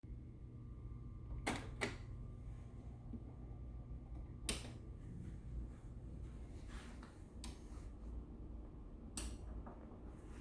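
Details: Direct-drive automatic turntable SL-D3: sharp, sparse knocking noises a few seconds apart over a faint low hum.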